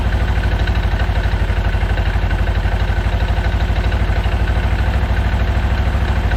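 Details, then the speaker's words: Segway Villain UTV at idle after primary clutch reinstalled following engine seal failure: steady idle about three beats a second with light even clutch clatter, normal for these clutches. "Clutches have always been kind of noisy, so I'm not going to worry about the little bit of clanking going on there, because they always make that noise."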